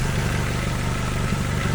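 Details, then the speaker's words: 1991 Nissan Primera P10 1.6 GA16DS carburetted, after timing chain repair (hydraulic tensioner, cam sprockets, guides, retiming, new water pump and belts): smooth steady idle, no chain rattle or slap; runs very well, unlike before. "Comme vous pouvez le voir, ça tourne vraiment très bien. Vous voyez que le moteur ne tourne absolument pas comme avant. Il faut écouter le bruit."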